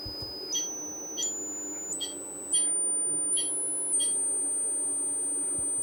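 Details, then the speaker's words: Ceramic capacitor soldered to a board, driven with AC voltage from a signal generator around 2–4 kHz, emits a thin pure high tone stepping up in pitch: singing from piezoelectric effect. "セラミックキャパシタに交流電圧を加えると音が鳴りましたこれは圧電効果によるものです"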